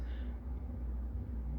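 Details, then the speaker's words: Realistic LAB-395 80s turntable, playing a 45 with its original stylus through an amp turned up. A steady 60 Hz mains hum sits under the hiss. The user is grounded, and a broken ground wire is suspected. "oh i can hear it i can hear it um give me a little feedback on my finger but mercy we got hum and it's a 60 hertz tone"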